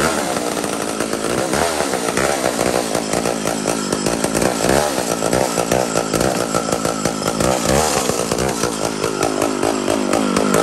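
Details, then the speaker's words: Mac 125 SP big-timber chainsaw cutting with an old, dull chain. It holds a strong, steady high scream under load, bogging only slightly as it pulls hard. Normal full-power cutting. "amazing amazing so that's like a scarfed up old chain this thing pulls these things are nuts they they blow me away they blow me away wow what an amazing power saw"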